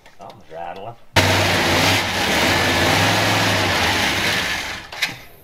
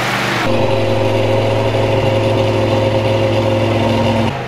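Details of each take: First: 1967 Dodge Coronet with a newly installed engine on first start for cam break-in: it catches and runs rough, with a fast ticking and rattle over a loud uneven idle. Attributed to a leaking exhaust header; pushrods also still need sourcing. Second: Newly installed V8 in a 1967 Dodge Coronet, cam broken in for 20 minutes at 2000–3000 rpm, header gasket burnt; steady even rumble at held fast idle, no knocks or ticks; engine sounds healthy.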